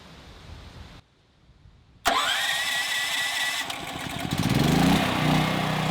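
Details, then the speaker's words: Westinghouse WH7000EC 7000 W gasoline generator converted to natural gas: it starts at once and settles into a steady, even run that firms up under load. Healthy. "So we're back inside at our transfer switch. You can hear the generator buzzing outside."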